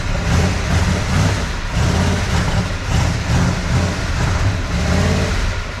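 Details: 1988 Dodge Power Ram V8, running after sitting 23 years, with a new aftermarket intake fitted: deep, lumpy, wavering rough idle that smooths slightly as it runs. Oil is milky, water spits from the exhaust, and the rings in one cylinder are a concern.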